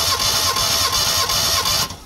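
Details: Mitsubishi Lancer GLi 4G15, overhauled (piston rings possibly not replaced) but still misfiring; compression test on cylinder 3: even cranking beats about three per second under a high starter whine, no weak strokes; reads 150 psi.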